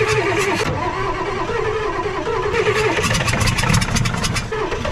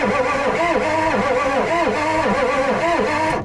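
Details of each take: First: Ford 6.9 IDI diesel, sat in a backyard about six years: injection pump powered at 24 volts and starting fluid fed in, loud uneven cranking catches and builds into a rough, rattly diesel run as it fires; doesn't even smoke. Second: Ford 6.9 IDI diesel truck being revived, cranked with a good battery and a freshly charged jumper pack: the starter drags the engine over slowly at roughly three compression humps a second. Slow cranking, not fast enough.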